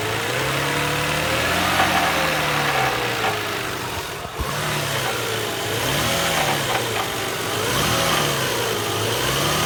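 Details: Toyota Harrier 1999 engine revs up then settles to idle with a faint irregular knock underneath; owner asks what causes it before taking it to a mechanic, cause unknown.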